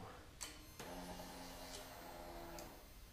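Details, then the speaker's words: Victory Vegas Jackpot motorcycle after installing a new fuel pump, chilly afternoon: a click then an even electric whir for about two seconds that stops cleanly; normal fuel pump prime. "Gas fuel pump sounds good. I'm gonna let it prime once. Click is what you need."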